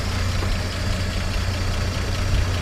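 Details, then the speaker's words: 1953 Chevrolet 3105 panel truck, original survivor with about 23,680 miles, warm inline six: smooth, low, even idle, so steady a coffee cup on it wouldn't shake, no knocks, misses or ticks; normal idle. "Go ahead and rev it up a little bit. It just purrs like a kitten."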